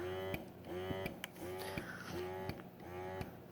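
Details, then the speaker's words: Motif Twist breast pump running in the open: quiet rhythmic motor cycling about every 0.7 seconds, each stroke a soft even whine; fairly quiet, almost quieter than a Spectra pump, operating normally. "This pump is fairly quiet, as you can hear. It's almost quieter than my Spectra pump is, actually."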